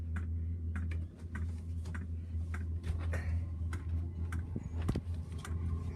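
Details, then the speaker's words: Jayco Freedom caravan diesel heater just installed, heard from outside: light, even ticks about twice a second over a low steady hum as the fuel dosing pump meters fuel normally. "Here, it's ticking away to pump the fuel."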